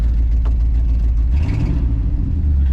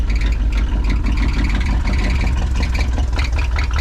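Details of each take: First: 1973 Ford F-250 after fuel system replacement, restarted: deep, steady low rumble with an even beat and no knocks or misses; idles smoothly and sounds right. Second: 1973 Ford F-250 after fuel system replacement, first start drawing from the tank: deep, uneven idle with an irregular lumpy beat about ninety a minute, stumbling near stalling; owner suspects not enough fuel.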